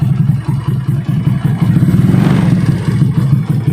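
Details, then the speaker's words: Yamaha Mio scooter, freshly rebuilt engine with modified camshaft, Karisma piston, PKZR con rod and ported intake and exhaust, idling after an easy start: quick, even single-cylinder putter with steady beats, no knocks or misfires; smooth, healthy idle. "Nah, untuk bagian dari mesinnya sendiri ini sudah sangat halus ya teman-teman. Meskipun nokenasnya sudah rubahan, ini suaranya terbilang cukup halus"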